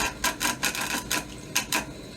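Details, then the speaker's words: Vaillant ecoTec Pro/Plus boiler pump, checked for F75 fault with screwdriver inserted through rear pump-head screw hole onto shaft: rhythmic rasping rub, several pulses per second, showing shaft spinning freely; pump running normally. "now the only real way to check if a pump is running is that actually physically check it and to do that we undo this large screw on a back of the pump head here put a screwdriver inside and if the pump is running well you'll hear a sound like this"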